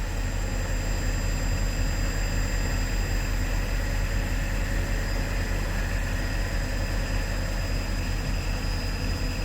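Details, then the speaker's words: Mercedes-Benz W219 CLS 350 with collapsed Airmatic air suspension, engine started, vehicle rising: a low steady droning hum with no break or change, the compressor never cutting out. Owner suspects a pipe, the release valve, or a leaking airbag. "look at that you can literally hear all of the pumps going crazy just try and pick up that nose"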